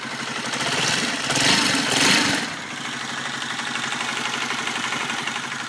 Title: Honda cbr 125 engine noise after cam chain tensioner replac